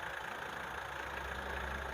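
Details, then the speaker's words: Mitsubishi Strada Triton GLX 4M40 diesel after repair for low power, hesitation and thick black smoke: restarted, steady even idle with a low smooth rumble, very little vibration, no knocks; normal idle. "Oke mungkin kita tes jalan karena mesinnya sudah sangat kering sudah mantap ini tidak ada apa getarannya sudah sangat minim ya"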